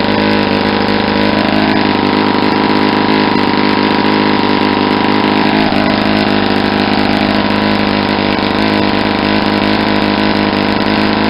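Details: Saito 50 four-stroke, first run after rebuild with new ring and bearings, APC 11x7 prop, Omega 10% fuel, warm: needle leaned near peak, rpm rises and smoke drops, steady high buzzing drone; owner says he probably leaned it too much for a first run.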